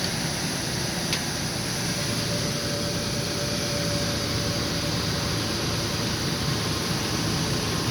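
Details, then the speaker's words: 2000 Ford E150 van with 4.2 V6 idling after alternator replacement: an even, smooth low hum with the old alternator growl gone and no more stalling tendency. Sounds healthy. "quite as a mouse big difference from what it was before right charging system was gonna be okay"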